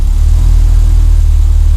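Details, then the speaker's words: Renault 5 GT Turbo after mouse-chewed fuel pipe and boost lines were replaced: starts first time and holds a strong, even low idle with no stumbles or misses; fuel ratio good, running cleanly. "so it starts first time now is the right flipping pain it was to start it's all choking up and everything"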